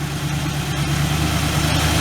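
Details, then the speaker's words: 1967 Ford Galaxie 500, 289 V8 with two-barrel carb, first start after 25 years: steady, even low rumble with smooth unbroken beat, no knocks or misses; healthy idle. "It's alive, guys. Sounds good."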